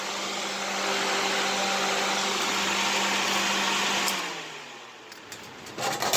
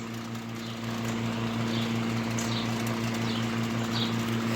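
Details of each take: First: Vintage small window fan running at high speed; steady motor hum and strong rush of air, even and smooth, then winds down cleanly; fan is healthy. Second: Vintage window fan, steady low motor hum with a light buzzing rattle; the noise is not the fan itself but loose side extension/mounting arms vibrating against it, going quiet.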